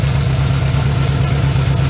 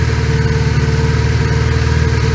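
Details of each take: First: 1980 Honda GL1100 Goldwing, during carb synchronization after a carb overhaul, adjusting a sync screw counterclockwise: low, steady idle with an even, quick pulse and no stumbles or misses. Carbs nearly balanced and running more smoothly. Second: 1980 Honda GL1100 Goldwing four-cylinder, cold start at about 3°C after a carburetor overhaul, idles with a lumpy, uneven beat instead of a steady hum; owner suspects the carbs are out of sync, before synchronization.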